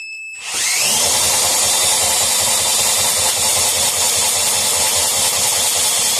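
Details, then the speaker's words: Previously seized air compressor pump after freeing, spun on the bench with no oil in it: steady high-pitched whirring at even speed; pump turns freely and is pumping air, owner unsure whether a gasket is missing. "Now, I don't want to run it too long because there's no oil in it. But, yeah, anyway, it's pumping air."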